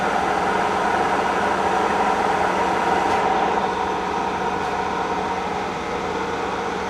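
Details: K&T mill running after loose electrical connections were fixed: steady, even mechanical hum with a faint gear whir and the pump audible as the spindle speed is moved from 25 to 54 rpm; no knocks or grinding, running smoothly.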